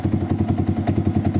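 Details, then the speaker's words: Motorcycle with clogged fuel injector: lumpy, uneven beat of about seven thuds a second that never settles, stumbles at high rpm, dies when throttled and is hard to restart; engine stumbling before injector cleaning. "kalau udah dipakai di RPM tingginya jadi seperti ini ngadat dan kalau di gas mati dia kita coba lagi ya kita coba lagi kita Nyalakan susah nyala teman-teman susah nyala"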